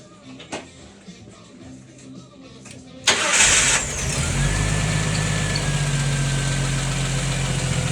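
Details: Jeep Wrangler that had shut off, after tightening the battery-to-fuse-box main wire connector: short crank, catches at once and settles into a smooth, steady idle; now running fine.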